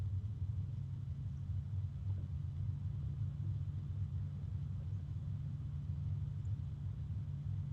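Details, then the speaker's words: Arctic Liquid Freezer II Black 360 AIO cooler at lowest fan speed: steady very low hum with faint air movement, no ticking or rattle. "And there is a, wow, there is a very low kind of hum from this. I don't know how well you can hear it, but I can hear it pretty well."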